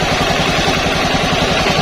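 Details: Honda Beat carburetted scooter with the safety switch off and an LED test lamp on the pulser wire: steady, even putter with smooth, regular firing pulses and no knocks or misses. Normal idle.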